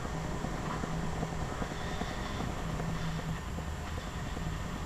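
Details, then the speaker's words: Sony WM-FX661 walkman after mechanism reassembly repair, recorded near microphone during playback: faint steady whir with soft intermittent low hum from motor, gears and belt; normal running noise. "It is making this noise. I don't think this is a bad noise. It is a normal noise."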